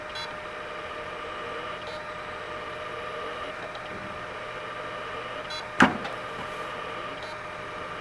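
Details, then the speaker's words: Late-1990s Seagate Barracuda 7200 RPM SCSI hard drive: a steady hum with faint periodic ticks and one sharp click as the spindle motor tries and fails to spin up. Cause not confirmed. "So you might be able to hear it, but it seems like the motor is trying and then subsequently failing to start."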